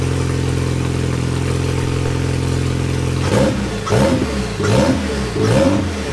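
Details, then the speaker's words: Old Cobalt engine refitted in place of a blown LSJ-T after repair with salvaged parts: steady even idle then clean smooth throttle blips, no clatter or knock, strong oil pressure; boost not yet known. "It's making a metric ton of oil pressure. Great success. So no, we fixed it. We're good. It's done. It's drivable."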